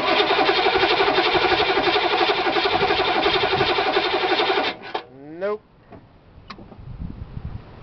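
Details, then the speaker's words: Diesel at 23°F with no block heater or charger and weakening batteries: slow steady cranking about four turns a second after glow plugs, never fires; owner blames cold, glow plugs unverified. "no no she ain't going to start it's too cold batteries are getting a little weak cranker up nope no point in melting the starter"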